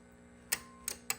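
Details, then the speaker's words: Drake TR4C transceiver after replacing a missing relay (coil about 450 ohms, tube-keyed on transmit): three crisp, clean clicks in just over a second as the relay pulls in; normal relay click. "hear it clicking in and see it moving there. Pretty cool."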